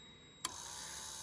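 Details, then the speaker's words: 1997-2004 Lexus GS300 after ABS pump motor replacement and master cylinder rebuild: sharp click then steady high-pitched electric whir, then shuts off; previously only the relay clicked and motor never ran; normal ABS pump operation. "All right, you hear it? And it shuts off. Before, the motor was never running. Now it is."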